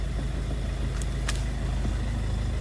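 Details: 2013 Kia Ceed engine running while the steering wheel is turned, no clunk after tightening a loose 12 mm bolt before the steering rack that had mimicked a worn rack.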